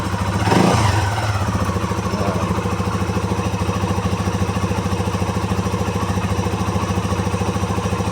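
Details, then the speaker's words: Modenas Z15GT motorcycle, 11,000 km, about 7 months old, idling right after replacing the dead original factory battery with a new TX battery; it would not start for two days before. Small single ticks over evenly, about 3.5 beats a second, no misses: normal idle. "Ha dah boleh start. Boleh start dah bateri. Motor masih hidup. Motor masih hidup."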